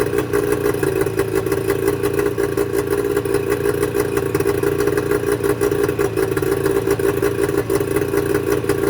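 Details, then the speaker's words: Mercury 25 HP two-stroke outboard at idle before Boyesen power reed install: steady but uneven, lumpy beat with some clatter on top; reed valves blamed. Rough idle. "you'd be amazed that you wouldn't think that these two little pieces of metal is what makes the motor run so rough"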